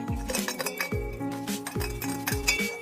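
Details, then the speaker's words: Removed exhaust pipe with rattle complaint, tipped by hand: loose bright clinking as hard ceramic pieces tumble inside; the three-way catalytic converter substrate has broken apart. "故障原因就是这个3元催化散掉了。"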